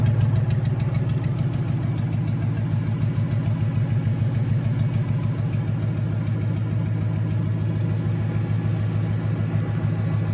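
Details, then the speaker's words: Junkyard 2009 5.7 Hemi V8, about 80,000 miles, with Hotwire harness and 09 Challenger PCM, idling on a run stand with coolant and fans running: smooth, even steady low rumble, no knocks, ticks or misfires. Normal idle. "Alright, there it is running. So everything seems okay."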